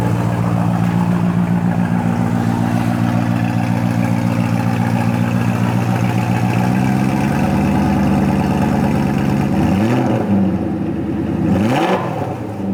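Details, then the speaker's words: 1993 BMW 740i, M60B40 V8, first start after sitting all winter with a new battery: strong, steady idle with an even deep beat, no knocks, a couple of clean throttle blips; normal idle. "Yes, it started right up and drove beautifully back home."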